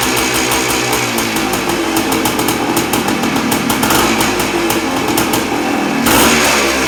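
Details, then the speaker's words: 1979 Suzuki PE250 two-stroke just fitted with a new 38mm carburetor (old float stuck, leaked, hard starting), started on choke: loud ringing exhaust pulls cleanly through repeated throttle blips and settles back without stumbling; runs strong. "well how's that fired up easy runs good um that's fabulous"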